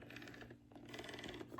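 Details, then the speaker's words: Big Mouth Billy Bass singing fish: rapid dry plastic clicking as head is turned by hand, teeth skipping on a split head gear. "And I also got with me a big mouth billy bass too. It has a split headgear. You can hear that because if you move the head,"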